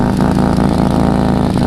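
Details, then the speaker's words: Freshly rebuilt forged twin turbo Mitsubishi 3000GT VR4 with new coils: loud, rough exhaust note with little tiny pops in step with firing, slightly hesitant; exhaust leak found in the middle of the exhaust. "i'm sure you can't hear there's like little tiny pops like pup pup i might have an exhaust leak actually it sounds like i have an exhaust leak right there in the middle"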